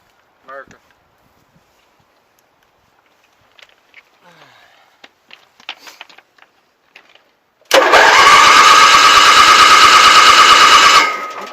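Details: Onan propane genset starting right after a starter replacement, with exhaust, bolts and wires refitted. Quiet handling noises, then the engine catches at once and settles into a steady, even hum; a healthy start and run.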